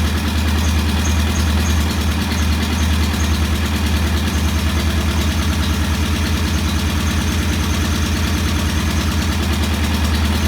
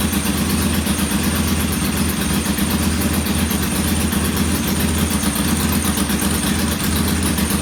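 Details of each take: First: Norton P11 competition twin, after cleaning debris from a carburettor jet (choke needed to start): even, steady thump at a set 1,000 rpm idle, no misses or rattles; idling healthy. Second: Norton P11 twin first start after carburetor rebuild and fresh fuel, kick-started: thumps about four beats a second unevenly, one cylinder lagging; rough idle, pilot jet not following adjustment, to be cleaned again.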